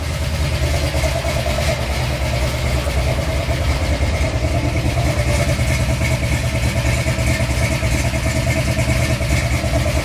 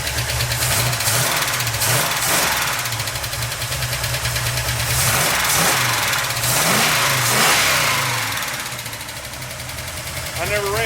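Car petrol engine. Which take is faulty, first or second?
second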